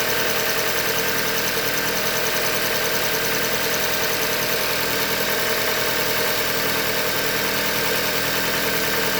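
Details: 2015 Hyundai Elantra Limited, 91,000 km, idling: light, even knock about twice per second through a steady idle, bottom-end knock from short block failure, a Hyundai manufacturing defect.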